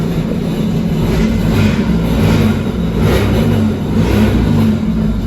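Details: 2023 Sea-Doo Spark Trixx at 10 hours, after a crank-no-start fix with parts bolted back to torque spec: engine revs up and down in smooth swells with no misses, knocks or rattles; starts and runs normally.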